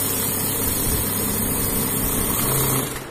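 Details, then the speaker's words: Godrej Swift Turbo desktop bundle note counting machine in free mode: steady fast whirr from feed rollers with an even flutter of notes passing through; counting smoothly and normally. "फिर हम यहाँ से free mode पे use कर लेते हैं। Free modes पे हम चेक कर लेते हैं।"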